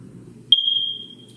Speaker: Today we disabled the 9 volt battery in this alarm to demonstrate the sound it makes and how to change the battery. You're going to be hearing this sound every minute until you change that battery.